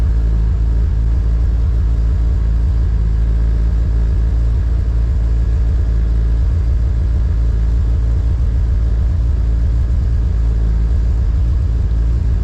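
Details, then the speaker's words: K24-swapped Honda EG on K Pro, first start-up, cold and with no idle air control valve fitted: idle runs low and uneven, rumble surging and sagging as it struggles to hold idle on its own. "It was trying to hold up on its own, but this car is cold and it doesn't have an idle air control valve."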